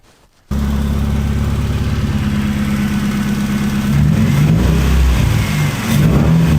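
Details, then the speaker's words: Engine with a revised coil-on-plug ignition system: it fires at once, settles into a steady, even beat and picks up smoothly with throttle without misfire; it runs again. "so yay hooray we have a running engine again"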